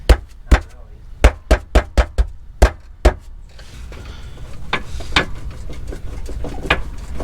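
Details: Ford Crown Victoria rear clunk reproduced by pushing on the quarter panel: eight sharp hollow clunks in about three seconds; suspension bushings suspected, but it was loose sockets rattling in the car.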